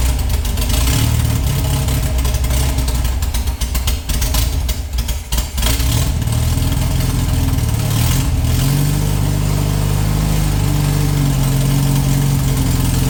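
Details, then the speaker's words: VW flat-four for a 1958 Beetle, rebuilt from parts and of unknown last run, runs on fuel poured into the carb bowls. It stumbles and dips unevenly, then steadies, as oil in the cylinders burns off with lots of smoke. "A lot of burning off, a lot of smoke coming out of it."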